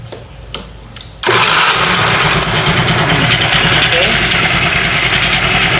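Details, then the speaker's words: Scooter idling smoothly after a cam chain replacement done without removing the engine; the earlier chaotic ticking on starting is gone, no top-end rattle now. Normal idle. "Bunyinya halus ya, Guys, ya. Enggak bunyi apa? Cek cek cek cek cek cek cek. Kayak kemarin tuh ya."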